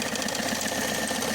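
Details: Peugeot 307 with 2.0 DW10ATED diesel at idle: steady hum and faint high whine from the accessory drive belt area; complaint of noise near the drive belt, traced to a worn AC compressor clutch bearing.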